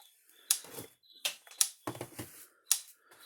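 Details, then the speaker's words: Gallagher The Billy M800 electric fence energizer after repair, light flashing, tester showing about 9,000 volts; sharp crisp snaps roughly once a second; normal pulse. "So it's working good again, so we're going to go see what kind of snap it's got."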